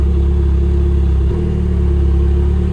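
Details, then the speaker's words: Engine that won't rev, with no fault codes or misfires logged: an uneven, lumpy note stumbling under throttle as if running on about two cylinders, and vacuum drops; the owner suspects injectors rather than spark. "it is not recognizing any misfires but we definitely are only running on like two cylinders actually kind of sounds like the injectors went down more than the spark"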